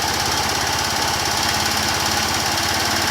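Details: 150cc motorcycle at about 24,000 km, noise persisting after an overdue oil change and heard with slight throttle: a fast, light tapping about three per second over a rattly idle. Mechanic says normal; source uncertain.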